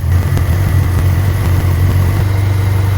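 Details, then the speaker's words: Austin-Healey Sprite with freshly built 1275cc A-Series engine, first start, carbs being balanced and mixture adjusted: deep, even, steady idle with no stumbles or knocks, running much smoother; normal idle. "You can already hear that the engine is running much smoother."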